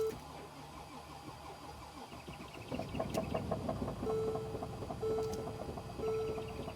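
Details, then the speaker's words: 2014 Mercedes GL350 3.0 L diesel: slow steady cranking never catches, no rev response to accelerator, dash chime; crank no start with rail pressure only rising from about 5,269 to 6,000 PSI while cranking. "So, I'm trying to rev the engine. The engine is not even revving. So, when you step on the accelerator pedal, nothing is happening."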